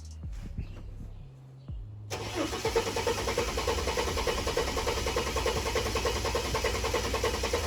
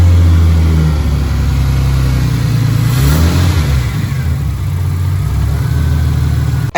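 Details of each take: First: Ford AU Falcon first start in years after fitting replacement plug wires: quiet cranking then sudden catch, rough loud running with a big backfire through the intake that blew apart the air box. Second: Ford AU Falcon running after about two months of fixes, idle screw adjusted, fluids topped up, steering pump quietened; even idle rising into clean rev and settling, no popping: normal idle and revving.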